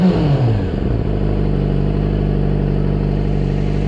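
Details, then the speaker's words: Yamaha R6, about 2007, idling after a service for timing-chain clatter at cold start: a steady, even idle with no knock or rattle, with only a minimal, barely audible noise from the cylinder head. "Tak słucham silnika bez żadnych niepokojących dźwięków troszkę kz głowy hałasuje dużo nie dużo minimalnie jest to słyszalne"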